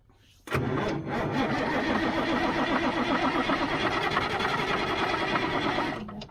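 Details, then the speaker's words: 1977 Mack R-model diesel truck that has sat a long time, ether tried: about five seconds of steady starter cranking that never catches, then stops; cranks but no start, batteries running down; cause unconfirmed. "ain't gonna do it it's not going to do it running down the batteries now well we tried"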